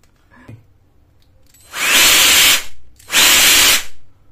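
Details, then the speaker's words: APR cordless 20V LXT turbo jet fan after a variable switch replacement, run without its casing or rear grill; two loud, high-pitched roaring bursts of about a second each that spin up and cut off cleanly; about 90 dB at 30 cm; normal running. "Jadi tanpa adanya grill atau penutup yang belakang, untuk suaranya maksimal di 90-an desibel saja."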